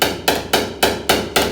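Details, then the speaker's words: Hammer and dolly work on 1950 Chevy half-ton cab corner sheet metal, on-dolly: six sharp, bright ringing strikes about four per second, the crisp ring of hammer landing directly on the dolly rather than off-dolly. "that was hitting the dolly directly"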